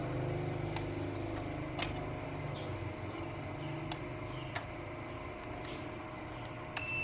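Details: Panasonic SA-PT870 5.1 home theater unit with power fault, front-panel key being tested: faint short beeps over a low steady room hum show the key registers presses normally.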